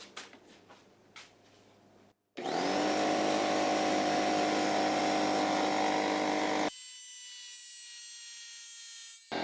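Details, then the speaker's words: Porter-Cable pancake air compressor after replacing the gasket and ring to cure an air leak. The motor starts and runs at an even, steady drone with no hiss or rattle. Normal compressor run; a very slight leak possibly remains around the piston. "think it is working no more noise coming from that area"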